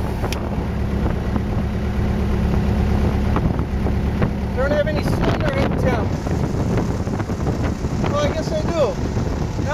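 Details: RV-8 aircraft N623RJ, first engine start: good oil and fuel pressure with the boost pump on or off, an earlier surge apparently cleared; steady, even low drone with no surging or misses, wind buffeting the mic; normal running.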